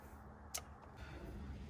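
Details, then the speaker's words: Ford F-250 with Megasquirt standalone ECU and fried factory harness: a single crisp relay click over a low hum when the up button is pushed, showing the relay works; fault was a poor switched-power junction connection. "if I push the up button you can hear the relay clicking which is telling me that my problem is my switched on"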